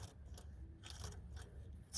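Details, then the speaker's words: Mk4 VW TDI turbo actuator linkage moved by hand into its regulating range gives gritty, uneven crunching yet still moves freely. This explains intermittent, poor boost regulation. Owner suspects the valve rather than the turbo itself. "crunchy so something is very wrong well not very wrong cuz it is still freely moving that's again why it's kind of somewhat regulating boost it just can't do it well"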